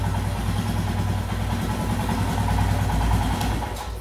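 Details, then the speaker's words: Royal Enfield Himalayan right after adjusting the throttle position sensor to a reading of about 5.5–5.6. A perfect, steady, evenly spaced single-cylinder idle without hunting, and it holds up when accelerated. Normal idle. "and there you go you see that perfect ITIL just singing in harmony you accelerate and bike is holding up"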